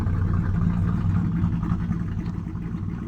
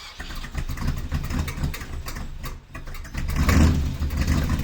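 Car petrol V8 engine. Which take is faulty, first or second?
second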